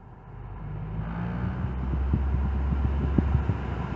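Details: Infiniti M45 V8 at about 900 rpm, held with the AC on: deep, steady drone at a fixed low speed. An aftermarket aluminium undertray is contacting the oil pan and resonating; it was linked to limp mode.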